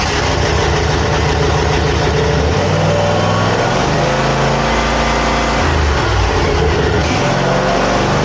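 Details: Zero-turn mower after throttle cable repair: strong even engine drone settling at a few throttle steps, no misses, surging or knocking; runs normally.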